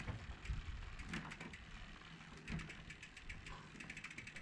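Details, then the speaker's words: Giant Reign bike with newly fitted rear derailleur and new gear cable: quiet freewheel clicks broken by rough ratcheting chatter on the largest cogs, as the derailleur sat too close to the cassette; fixed by adjusting the B screw. "can hear when they go under the large there's a lot of noise this was due to the derailleur being too close to the cassette so I needed to adjust the B screw to increase the gap"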